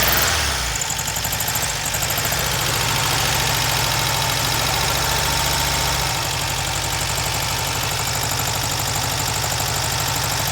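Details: Freshly rebuilt VW Type 1 air-cooled flat-four from a Karmann Ghia, first start after hooking up the coil and priming fuel by cranking, not yet broken in; quick, even chatter with steady firing under fan hiss; normal idle.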